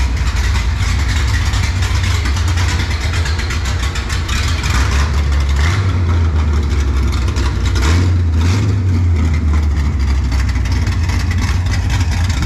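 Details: Mopar race car "Junkyard Jet" V8 near end of break-in, long-duration camshaft, fuel pressure around 6 psi after new regulator: deep, loping idle with steady uneven chop, pulling cleanly on light throttle blips; normal, healthy.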